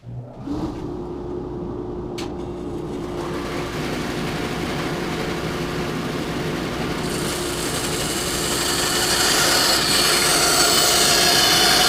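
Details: Bandsaw with new 3/8" blade, bent at the brazed joint and not fully straightened, cutting wood: steady hum rising under load with a faint regular tick about three times a second, once per blade pass, from the bent weld.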